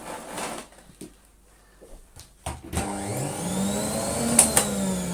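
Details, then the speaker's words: Moulinex E59 vacuum after repair and reassembly: motor winds up to a steady whine with a coarse, rattly edge; sounds rough only because the motor is dry. "Right. Sounds flipping awful, but that's just because it's dry."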